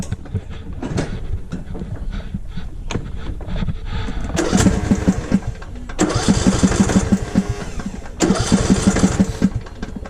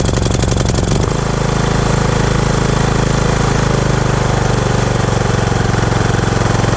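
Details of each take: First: Lawnmower with a no-start issue, cranking in three bursts, starter churning evenly but engine never catching. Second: Riding mower single-cylinder no-start fixed at the solenoid switch, carburettor not needed; quick crank, catches at once and settles into a steady even thump with no misses or surging: normal running.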